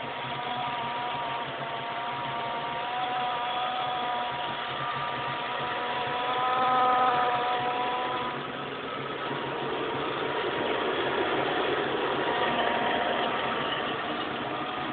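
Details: 2003 GT V8 with Kenne Bell supercharger fitted about 15 months, idling and revved: steady mid-pitched hum, louder on left side; owner suspects pulley with bad bearing, possibly not the blower; unconfirmed accessory drive noise.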